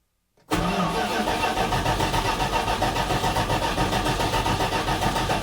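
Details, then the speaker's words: 1980 Dodge W200 on its first start after restoration. The carburetor is dry and about 3 gallons have just been added to the tank. Steady starter cranking, about four turns a second, with no firing. Fuel starvation; gas was then poured into the carb bowls. "I'm going to have to put some gas in the carburetor."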